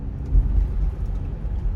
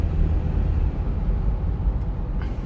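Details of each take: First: Rear-wheel-drive Sorento turning right, with steering-wheel vibration and no noise turning left: low droning hum swelling and wavering under road noise. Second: Sorento test drive at speed through a right-hand turn, earlier hum blamed on a worn driver-side hub bearing: steady low road rumble with no rising hum or drone; wheel bearing quiet and healthy.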